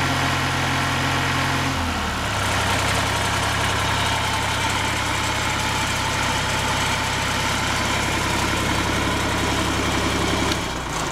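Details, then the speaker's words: Perkins diesel in welding rig truck, newly bolted down, drops from faster run to steady even idle with slight shake; 75 psi oil pressure, normal healthy running. "of course he's now bolted down but 75 psi on the oil pressure which is average for a for a Perkins which is really good and yeah sweet running machine"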